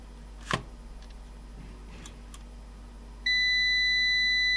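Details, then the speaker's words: Old UPS powered from a bench supply, switched on: a click, a couple of light relay ticks, then a steady high continuous beep, and the unit clicks off instead of coming on. Startup beep, relay click, then shutdown. "was making a blipping noise and say it's a realist click but then it went off no that's interesting i thought it would come on"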